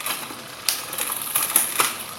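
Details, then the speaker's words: Pinarello Dogma road bike chain during servicing, crank turned slowly in a low gear: light, irregular metallic ticking, no other noise, as the worn, stretched chain forces onto sprocket teeth and rollers knock; worn chain rattle, chain due for replacement. "ini bunyi gemericik artinya rantai itu ya pada saat bertemu dengan gigi-gigi dikasih maupun di di channel ini ya dia memaksakan diri yang sudah mulu ini menyesuaikan dengan Gigi Ini akhirnya terjadi benturan-benturan pada rollernya"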